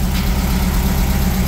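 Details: Warm 1600cc VW dune buggy air-cooled flat-four after new plugs, an oil change and corrected cylinder 1 and 2 plug wires: a deep, steady, even idle with a low, regular putter and no misses, knocks or hunting. It is idling cleanly, with a carburetor rebuild planned next.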